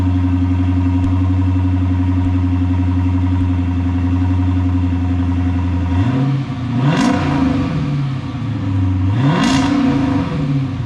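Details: 2013 Dodge Charger Pursuit after a mid-muffler delete kit install: steady, deep, even idle, then two clean throttle blips rising and falling smoothly without stumbles; healthy, throaty open exhaust note.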